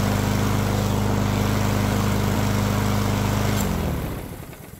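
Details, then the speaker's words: Yard Machines mower after carburetor repair and fresh oil change, about 65°F: small single-cylinder engine steady, even fast beat, no misses or knocks, winds down smoothly at shutoff after about four minutes of running; runs great. "I gotta tell you this thing runs like a top spitting sputtered a little bit at the start then we got some gas circulating and I'll tell you what it runs great"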